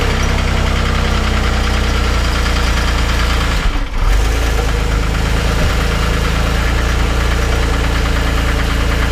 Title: 2006 Porsche 911, 997.1 Knocking Sound